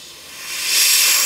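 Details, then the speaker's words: Tesla Model X window seal tested with an air compressor: a sharp high hiss builds within a second and stays loud and steady at the seam where the seal glue was poorly bonded, very pronounced; tape used to confirm location. "soon as he gets up into that area, it's really pronounced, really super pronounced."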